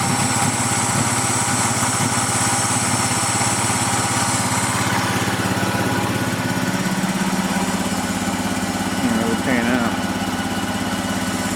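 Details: PGT-ZE petrol engine idles roughly with an uneven beat from a misfire, its speed shifting instead of holding steady; owner wonders about a vacuum leak.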